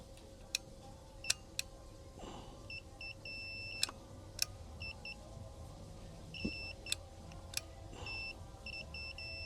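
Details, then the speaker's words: Club Car golf cart MCOR microswitch tested off the cart with a continuity tester, pedal pressed by screwdriver. Short high beeps in clusters on each press show continuity: the microswitch is good. "all right, and you can hear it when I hit the gas, it beeps. All right, so that tells me that my microswitch is good in there."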